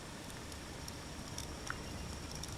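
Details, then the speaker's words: A Zalman 460APS computer power supply (Sparkle Power built, 2014) makes irregular crackles and pops over a steady hiss, like sparking, with heavy ripple on the 12V line. It was fixed by replacing failed capacitors. "sounds like the transformers shorted or sparking or something"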